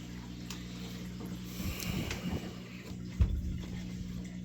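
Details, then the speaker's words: Dishwasher reported as not starting, restarted by holding start 3 seconds then closing door: low steady drain pump hum with gurgling and splashing as water pumps out into the disposal. Normal drain. "one two three close the door and then it starts the drain yeah you can see into disposal"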